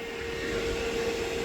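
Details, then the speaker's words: 2026 Can-Am Outlander electric ATV after the hot-coolant warning flag came on: a steady mid-pitched whir with a soft airy rush underneath, even throughout; the radiator fan is running as it should. "Um, but everything's cool. As far as I know, it's working like it should."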